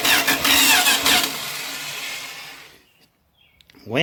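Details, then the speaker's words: Junkyard-sourced 1977 Dodge RV 360 V8 being test-started out of the vehicle on the ground: steady starter cranking at about 2.5 turns per second, no firing, then it stops. Owner suspects not enough fuel and plans to pour gas down the carb. Cranks, no start. "maybe we ain't got enough fuel in the old beast so i'll try that i'll pour a little gas down its throat"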